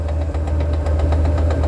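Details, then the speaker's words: 1940 Ford with new clutch and fully overhauled gearbox, at idle: steady sharp ticking about eight per second with clutch engaged that stops when the clutch pedal is pressed; gearbox-side ticking. "Ó, tec, tec, tec, tec, tá ouvindo? Ó, vou pisar na embreagem. Ó, ó, ó. Acabou o barulho."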